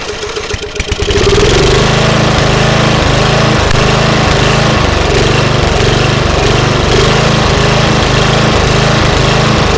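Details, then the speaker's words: 1998 Murray Widebody LT riding mower, single-cylinder 12.5 hp Briggs & Stratton, after carburetor cleaning and tightening engine mount: idle rises and sags two to three times a second, hunting at low idle; owner suspects too much air or not enough fuel. "well I did the best I could clean the carburetor but we're still having a little bit of a surging problem and it's getting too much air or not enough fuel at low idle"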